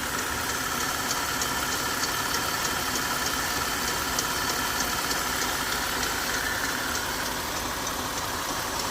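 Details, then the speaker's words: 2018 Jeep Grand Cherokee Summit 3.6 L petrol engine with a light, crisp tick about three times a second over a steady idle, seemingly from the passenger side; owner suspects rocker arms or lifters. "I'm not sure if this is my rocker arms or lifters. There's a little tick."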